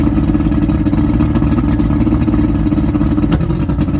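Heavy, uneven low thrumming at idle with the beat wavering and stumbling rather than running smooth; a rough idle, cause not evident.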